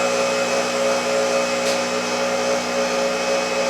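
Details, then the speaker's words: Motor that can turn a small generator, running with no load after an easy restart: steady even high-pitched hum at constant speed, no roughness or surging; smooth, quiet running. "see how nice and quietly spinning and it started really easy see I can stop it and you will start no problem okay now see how smooth and quiet it is"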